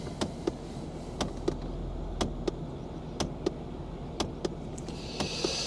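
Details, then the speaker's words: Mercedes CLK240 convertible, ignition on, quiet cabin: sharp light ticks in pairs about once a second as the heater flap stepper motor keeps hunting, seemingly worse than before; owner suspects a broken cog on the stepper motor, unconfirmed, a dashboard-out job. "so I think probably one of the cogs on the stepper motor is broken which is a nuisance because it is a whole dashboard out job"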